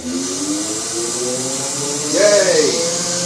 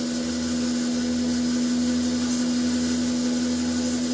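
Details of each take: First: BMW E31 840Ci EV conversion, first bench run of the completed drivetrain. The automatic gearbox is in park after priming its pump, in fail-safe mode with no controller, so pressures are at maximum. A smooth electric whine bends and settles as load and pressure come on; running normally. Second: BMW E31 840Ci EV conversion, electric motor driving the automatic gearbox on the bench in park at really slow rpm to reprime the pump; churning, uneven whir as the transmission pump sucks air from low fluid.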